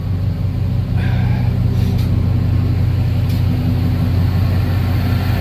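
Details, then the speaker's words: Freshly rebuilt service truck engine at a settled idle while warming up, oil pressure at 40, no check engine light: steady, even low rumble with no knocks or misses; runs smoothly, though spark timing is still off. "Can't really ask for one to run any better."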